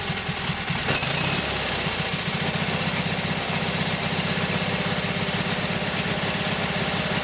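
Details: Kohler KT17 twin on first start after reassembly (lost governor), oil pressure 50; even, steady fast-idle putter firing regularly with no knocking, running pretty well; carburetor still to be tweaked and max speed set around 3,000–3,600 rpm.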